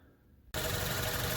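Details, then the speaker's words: 2014 Range Rover Evoque Dynamic turbo engine just after replacing failing exhaust manifold with new cast-iron design and new gaskets: steady, even idle with small revs, no binding, no ticking or exhaust leak; running healthy. "so I'm letting the car idle give it a couple little revs I don't hear any binding"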